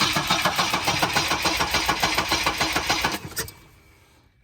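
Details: 1984 Volvo 242, B23 LH2.1 engine with automatic gearbox, cranking steadily at about three and a half turns a second but never catching; crank-no-start with a bad, non-indexed distributor cap fitted, new cap thought needed, cause not confirmed.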